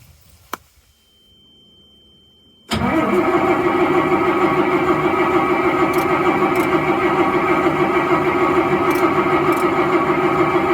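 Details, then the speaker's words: Diesel truck with water in the tank and the fuel filter half full of ice in cold weather: steady, even cranking at about three strokes a second for eight seconds, only a little white smoke, never catches; no fuel delivery. "I'll show you what you see when I crank this one which is not getting fuel you'll see a little bit of white smoke but it doesn't compare at all to what you saw when I tried to start the old 7.3 IDI diesel"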